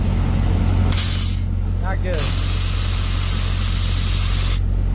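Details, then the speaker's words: Semi truck that couldn't build air, running after a new air dryer cartridge was fitted (compressor also shows signs of needing replacement), with the drain valve opened: loud hissing spray of water over the idle shows the dryer purged but the air tanks are full of water. "Alright guys, we verified it did purge, but as you can tell, this tanks are full of water, which is not good."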